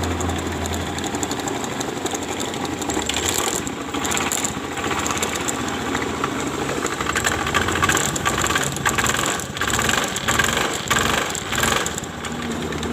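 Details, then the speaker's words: Honda Beat FI scooter, never routinely serviced, complaint of rough noise from the CVT case: revved up and down with a coarse rattle rising with revs; the rear pulley seems loose. Cause suspected, not confirmed. "perhatikan di bagian bak puli belakangnya semacam ada yang longgar"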